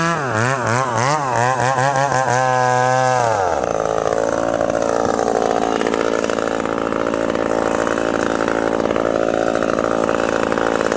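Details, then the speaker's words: Ported 70cc McCulloch Super Pro 70 chainsaw (stamped 171 or 181), freshly fueled and first start: winds up in wavering blips, then screams at a clean, steady high pitch with no misses, a strong, healthy high-rpm run. "hey friends did you hear that wicked rpm now watch i'm gonna dog this thing in"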